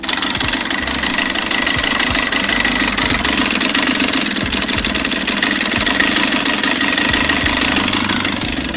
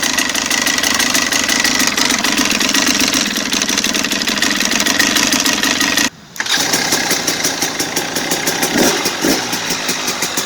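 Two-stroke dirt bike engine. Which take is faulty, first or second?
first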